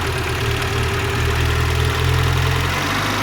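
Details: 2008 Renault Clio after fixing a no-start with no fuel or spark caused by corroded immobiliser wiring harness: even, settled idle with a steady low hum, no misses or knocks; engine runs smoothly after repair.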